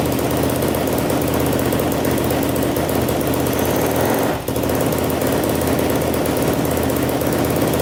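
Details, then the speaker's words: 2007 Yamaha YFZ450 quad, bought in pieces after sitting, first start on choke: loud rattling top-end clatter over a steady single-cylinder beat, not smoking; valves or timing chain suspected, timing chain more likely. "a little loud on the top so i'm doing great though not smoking all right well uh it runs pretty good i hear a little bit of tap and noise i don't know if it's the valves or the timing chain i kind of suspect the timing chain"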